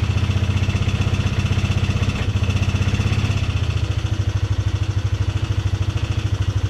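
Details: Polaris Sportsman 300 after timing chain and valve adjustment: single-cylinder idle with fast light ticking from the top end; owner suspects valve tap, not confirmed.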